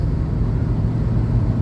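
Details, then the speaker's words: 1987 Winnebago cold start after sitting, battery terminals upgraded from side post to top post and fuel pumped, nearly out of fuel: low, even rumble with a steady deep hum and no knocks or misses, a healthy idle. "Ohoo. Sounds like something. Yeah, he's a runner."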